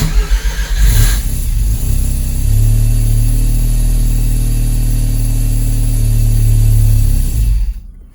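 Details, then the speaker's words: Mazda RX-7 Turbo II rotary, cold start mid-winter after three months in storage, idling with no throttle: lumpy, uneven low idle that hunts slightly; owner suspects it runs lean and needs more low-end fuel enrichment. "It's pretty cold. Yeah, I haven't really, it sounds like it needs more fuel. So this is, again, no gas pedal."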